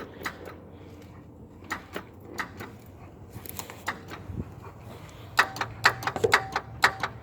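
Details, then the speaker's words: 1999 Toyota 4Runner V6, intermittent no-start, starter already replaced: sharp single clicks in uneven bursts with no cranking; broken white feed wire to starter found. "Oh. Only click, no star. This is the problem right here. Found you. Broken white."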